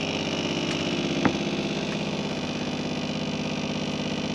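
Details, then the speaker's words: Caravan water pump under seating, before fix, about 57 dB: buzzy electric hum pulsing about three times a second, rattling through the cabinet; pump vibration carried by tight pipes into the box. "but I would say a lot of the noise is coming from over here and here see just pulling that that out is"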